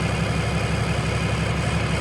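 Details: 2020 Ram 2500 Cummins diesel idling after the oil and fuel filter change, running to check for leaks. A steady, even low rumble with a smooth, regular firing beat and no knocks or misses; a healthy idle.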